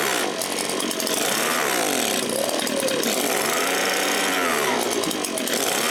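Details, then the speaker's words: Echo PB-265L backpack leaf blower two-stroke after a carb rebuild and fuel line repair, started on choke with some throttle: revs keep swinging up and down every second or two and never hold steady. It runs rough and surges, only on choke. "Yeah, she's not running so good. So, we might want to loosen this cap a little bit."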